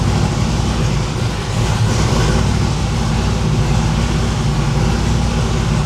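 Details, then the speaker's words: V8 no-prep drag car after valve spring install: loud lumpy idle with missing beats, running on only four cylinders because four spark plug wires were left disconnected; misfire from disconnected plug wires. "that don't sound nearly right let me ask you a question okay why you got this why the CL off this that was on four plug wires wasn't it"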